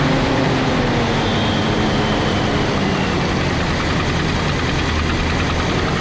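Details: Big-block Chevy V8 in a motorhome, just after the fuel started pumping: it fires and settles into a steady, even rumble with no misses or knocks. Running normally.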